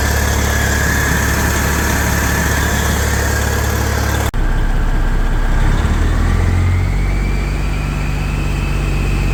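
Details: 1994 Kenworth T600 with a 12.7L Detroit Series 60 diesel, running after new exhaust manifold gaskets and bolts to fix a manifold leak. It settles into a steady, even low idle with no ticking or puffing at the manifold; sounds healthy and sealed.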